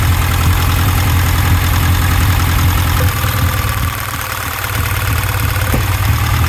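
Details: Misfire on cylinder 4: deep idle with an uneven lumpy beat, about two to three stumbles a second breaking the rhythm.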